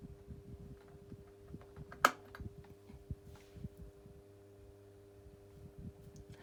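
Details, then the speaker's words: 1990s Pifco 12-inch desk fan, oscillation stopped: quiet steady low motor buzz under a few handling clicks, no rattle or scraping; fan running fine on low speed. "which possibly yeah has a nice little buzz to it I've listened to that that is seriously proper good"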